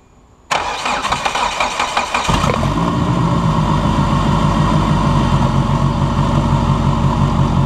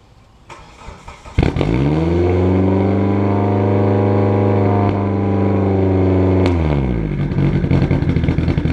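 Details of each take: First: Budget race car project engine on its first startup after repeated fuel-leak fixes, microphone at the exhaust: a couple of seconds of uneven churning as it catches, then a steady, even idle with a firm low rumble; normal running. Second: Turbocharged race car project engine recorded at the exhaust: catches and hangs at a high idle around 3,000 rpm, then pops and backfires as revs fall after letting off; idle too high. Cause unconfirmed.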